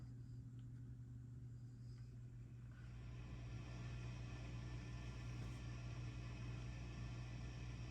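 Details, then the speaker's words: 1963/64 Vox AC30 tube amp, warmed up on 120 V mains: steady low hum with hiss rising as volume is maxed, isolated to the vibrato channel; source not yet traced. "That's limited and isolated to the vibrato channel."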